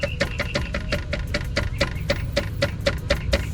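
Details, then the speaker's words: 250K-mile Infiniti G35 Coupe dual mass flywheel rocked by hand during clutch replacement: about fourteen sharp metallic clacks in under four seconds; worn spring damper with excessive play. "this right here after a while it gets old and it there's a lot of movement and look how I can move this piece up and down and it makes noise"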